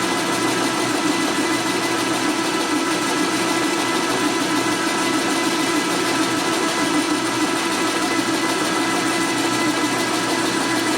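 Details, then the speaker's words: 1961 Harley XLCH Sportster cylinder being bored on a machine: steady machining drone with a fine fast buzz as the boring cutter chatters slightly during the cut. "You also listen to it and hear it chattering a little bit."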